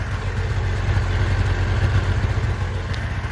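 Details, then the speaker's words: Small two-stroke 360 van, warmed up after a drive; steady, slightly uneven low burble with no knocks or misses, smoking much less once oil burns out of muffler and exhaust; normal idle. "not that it makes me feel any better about the environment but uh it's smoking a lot less once the oil gets burned out of the muffler and the exhaust system and everything gets back to way it was"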